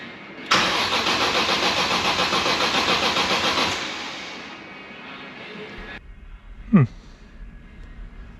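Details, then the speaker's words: BMW M3 after gearbox refit with possible clutch disc or pilot alignment doubt, no fuel in tank: even starter cranking at about three to four compression pulses a second, clean, no grinding or scraping. Normal starter cranking, no nasty noises. "nasty noises yeah happy with that"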